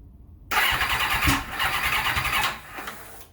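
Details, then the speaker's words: 1991 Kawasaki ZXR750 turbo build on an aftermarket ECU, first start attempt after reconnecting a missed plug to restore spark: uneven, stumbling cranking with kickback against the starter, no start. "hmm okay something not quite right there it's kicking back on the starter motor hmm not sure what's going on here"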